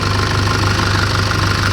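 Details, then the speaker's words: 2004 Nissan Patrol Y61 with a second-hand replacement ZD30 diesel, fitted after the original developed an undiagnosed tick. Heard at idle: a steady, even diesel clatter with a smooth low thrum, no misses or knocks, and no smoke. A healthy idle. "Amazing. I'm super chuffed about this. The car runs pretty good."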